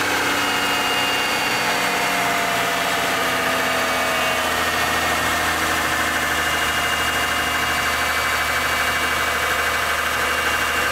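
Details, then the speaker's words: Mitsubishi Galant 8, 6A13 V6, after replacing rear-head hydraulic lifters with AJUSA (front done earlier): smooth even idle, steady hum, no top-end lifter ticking previously heard; repair successful. "наутро как вы видите как вы слышите все хорошо никаких стуков компенсаторов нет процедура прошла успешно"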